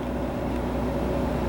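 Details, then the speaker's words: Tankless water heater recorded outside right next to its vent at about 57 dB: soft steady whoosh with low even hum, no rattles or surging; quieter than a passing car. "So you get, a huge amount of hot water with a very quiet installation. Notice you hear the car go by, it's louder than this hot water heater is right next to it."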